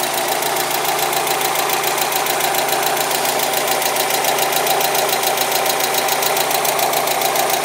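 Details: Mazda Miata that sat for months and had been cranking without starting: now runs with a steady fast tick/knock, three to four a second, over a rough idle, plus an electrical noise; cause unknown, father suspects it needs a new engine.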